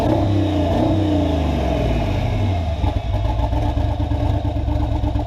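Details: V8 after repair, fault traced to a push rod: revs up crisply and settles to a smooth steady idle with no tick, miss or clatter; healthy free revving, the fault was just a push rod.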